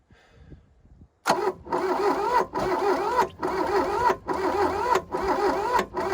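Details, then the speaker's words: 1982 Volkswagen Caddy diesel pickup, sat 20 years, glow plugs wired on full, little throttle, heavy blowby: starter cranks in pulses with occasional pops, never runs; cranks with intermittent firing, no start. "oh man you're so close to this thing around somewhere and pop started hey okay solder melted yep"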